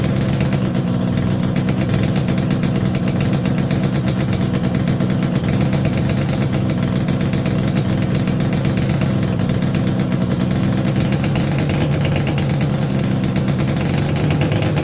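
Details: Yamaha RD350YPVS F2 two-stroke twin after full rebuild (bearings, seals, rebore), plugs were loose on first run; steady even idle burble, no knocking or rattle, clean and quiet; normal idle.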